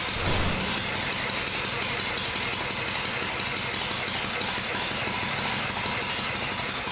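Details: Vintage Harley-Davidson Shovelhead after a full engine and transmission rebuild, new Dyna coil fitted and oil pump primed; earlier it popped and banged, now fires right up into a steady loping V-twin idle with no popping or backfire, runs clean.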